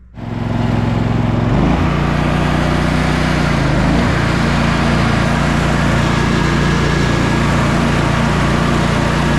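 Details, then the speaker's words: Sabre by John Deere twin lawn tractor after carburetor repairs and a new starter: catches and settles into a steady, even drone with no knocks or misses. The test mow went perfectly; mowing, driving and engine all running great. "All right, test mow went perfectly. It's mowing great. It's driving great. Engine is running great."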